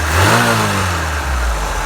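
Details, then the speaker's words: Opel Manta Berlinetta with Weber carburettor, bonnet open: crisp rev rising and falling smoothly, no misses, rattles or hesitation; runs well but owner thinks it needs a tune-up, a little smoke now and smells rich. "runs really nicely. Runs really well. I say it's probably going to need a bit of a tune-up."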